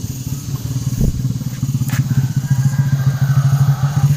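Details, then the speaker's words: Suzuki Shogun 125 that starts normally cold but dies when hot, kick-started while hot: rapid chuffing around eight pulses a second that never catches; no spark, weak pulser coil. "untuk motor seperti ini kita engkol sudah tidak hidup kita coba sekali lagi"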